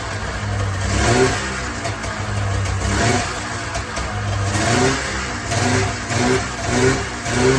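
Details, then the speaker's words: 1994 Polaris Indy 440 two-cylinder liquid-cooled two-stroke snowmobile, revived after sitting 12 years, on tank fuel: idles, then picks up cleanly on several throttle blips and drops back smoothly; clutch engagement RPM uncertain, runs well. "I don't know Jack about snow so I can't tell you if that's engaging at a high RPM or not but uh certainly seems to be running pretty good"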